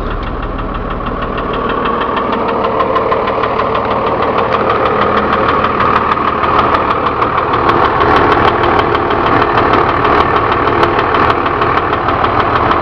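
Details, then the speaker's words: Ex-FedEx Freightliner/Utilimaster 14ft step van, Cummins diesel, idling after warm-up: rough, rattly idle with a steady knock about three times a second; low oil pressure at idle suspected linked, noise fades and pressure rises when revved. "it doesn't have a whole lot of oil pressure and I suspect that has something to do with the"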